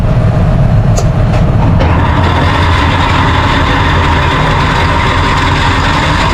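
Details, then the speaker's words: Tractor-driven pasture topper after new bearings were fitted, running on the PTO: a loud, steady droning rumble with a constant hum on top, even throughout with no knocks or grinding. Normal running. "We'll fire it up and you can listen to the absolutely terrifying noise, which is a pasture topper."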